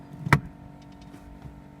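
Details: 2007 Chevrolet Astra 2.0 8-valve, at first key turn, intermittent and possibly more on hot days; sharp single clunk then faint steady low hum with a light tone; owner suspected fuel pump or fuel injection, A/C fan sometimes stops; unconfirmed.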